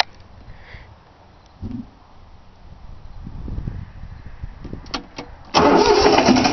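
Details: 3-cylinder Yanmar diesel cold start after glow plug heating: steady starter cranking about three beats a second with no firing; fuel lines weren't bled, so air in them prevents starting, though it usually starts right up.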